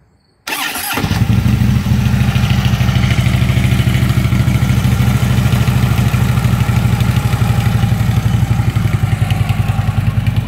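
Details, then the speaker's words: 2010 Harley-Davidson Ultra Limited V-twin after primary shaft bearing, compensator and lifter replacement: even loping beat, rattle gone, faint light chatter remains, attributed to front motor mount still to be replaced; normal running. "mystery uh rattle finally solved primary bearing now we still have a little bit of chatter but it's nothing too too serious it's a it's a front motor mount"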